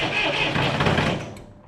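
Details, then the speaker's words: Massey Ferguson 135 diesel tractor (lot purchase, tractor #2) cranks steadily but never fires, starter fading on a possibly weak battery (charger added); air found in fuel, owner plans to bleed the injector lines. "Not quite. So I think I'm probably gonna have to bleed these injector lines."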